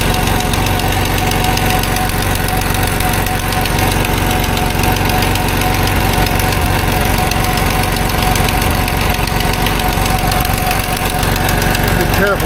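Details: Old Dodge W100 truck at idle, suspected exhaust leak near the oxygen sensor, wet rag covering a suspect spot: fast, fairly regular ticking about four per second over a rough idle; exact leak spot unclear.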